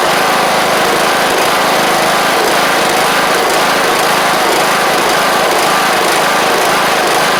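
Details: John Deere LA100 riding mower (5-speed transaxle), sat a long time with water in the tank and hard starting blamed on valves, now running off choke: steady, even high-pitched single-cylinder run, no misses or surging; sounds healthy, though the spark plug is suspected to have failed.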